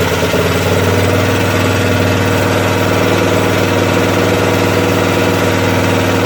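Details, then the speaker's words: Craftsman 13hp OHV Tecumseh rear-engine tractor after the governor spring was moved down one notch to set rpm; steady even beat at constant speed, no hunting or surging; normal running, problem believed solved. "all right we can let it cool down i'm going to test it one more time seems fine i think we solved it"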